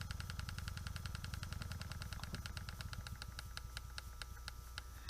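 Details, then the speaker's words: Small Stuart model steam engine running on 2 psi with valves nearly closed: light even chuffs about three or four a second, turning over smoothly and slowly. "there's what it the speed it'll operate at two psi"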